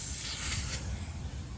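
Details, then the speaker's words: Poorly installed central AC, Coleman air handler with Evcon condensing unit, R410A system found empty; short sharp hiss of escaping gas found with soapy water after ultrasonic detector; refrigerant line leak. "all right we found our leak right there"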